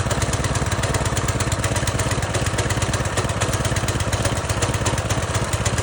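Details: Small single-cylinder pressure washer engine just fitted with a new carburetor after running on old gas: a steady fast idle with even firing, no misses or knocks, running properly.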